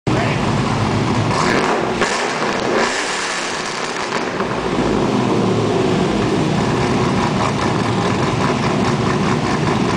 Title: 05 Chevy SSR first start after Comp 232/232 .59